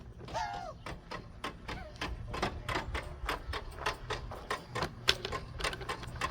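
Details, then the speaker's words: 1992 Pontiac Firebird, long abandoned, headlight motors run off a charger on a weak battery: uneven, sharp ratchety clicks about a hundred a minute; owner hopes a new battery will steady the voltage. "And all it needs is hopefully a battery to normalize the voltage."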